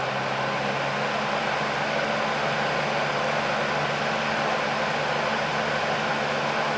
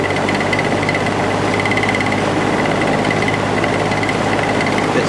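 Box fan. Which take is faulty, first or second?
second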